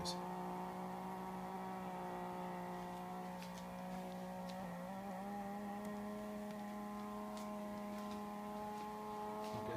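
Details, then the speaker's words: Mesa Mark V amplifier with no guitar plugged in: channels 1 and 2 are silent, but channel 3 gives a steady low hum with buzzy, drifting tones like a motorcycle starting. Noise persists even after all tubes were replaced; cause unknown. "notice the guitar isn't even plugged in so there's no interference from outside sounds like there's a motorcycle starting up in there"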